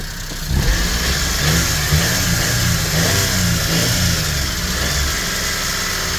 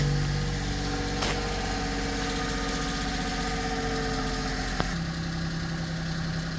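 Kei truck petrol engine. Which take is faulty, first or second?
first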